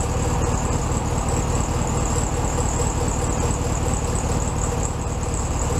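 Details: 1967 VW Beetle 1500cc air-cooled flat-four, warmed up after carb reinstalled on new base gasket: steady, even low thrum at a slightly high idle, no stumble or hunting; normal idle.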